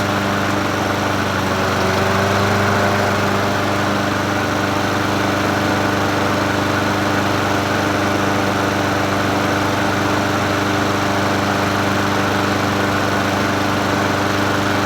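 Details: Troy-Bilt self-propelled mower with Honda GCV160 engine, free find, first start after adding gas and opening fuel tap: constant, even drone at steady speed, no knocking, surging or sputtering; normal running.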